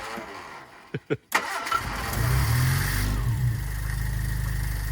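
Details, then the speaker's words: Hillman Super Minx after carburettor rebuild and new diaphragm fitted: a few cranking thuds, then the engine catches and settles into a steady, even low idle with no misses; no leaks or fuel spilling seen, normal idle. "oh there you go she's idled so uh don't think there's any leaks or anything is there"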